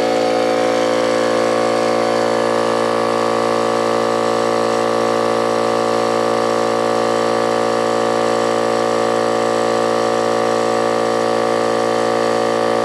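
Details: Old Brute air compressor, unloader valve leaking (check valve replaced, no difference), restarting after tank emptied via safety valve; steady drone with rapid regular clatter, about 3.5 knocks a second, worn clanking pump.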